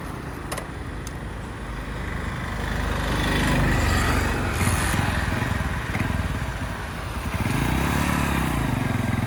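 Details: Honda CD100 SS after full strip-down restoration, road test ride: small single pulls away with a steady putter that rises smoothly with throttle, some street noise; runs clean and healthy.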